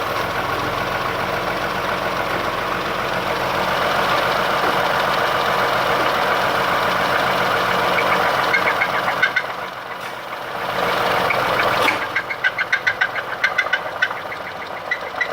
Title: Escape knock and spun bearing